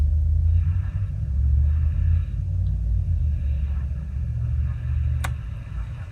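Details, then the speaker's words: Airline tube radio after warm-up, following oscillator coil checks and replacing the 2-in-1 capacitor pack (50 µF replaced with 47 µF): steady low hum dominates with barely audible, tunable program; hum persists and output stays weak. "But anyway, here's here's the deal. You can barely hear it. I can tune it."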